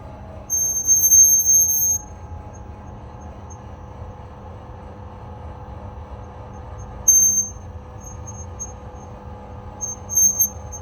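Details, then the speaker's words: Woodway treadmill lowering its incline to 0, motor running: high shrill squeaks in bursts over a low motor hum from a dry incline pillar block that needs replacing or greasing. "This is the Woodway Barry's treadmill that's got a squeaky incline when it's on decline."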